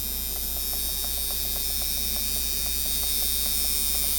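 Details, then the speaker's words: Micky Sharpz hybrid clone tattoo machine at about 7 V, 56-59% duty: high electric buzz with regular clicks near four a second that speeds itself up; too much spring tension. "you hear that it just SP itself up that's because there's too much tension in the spring"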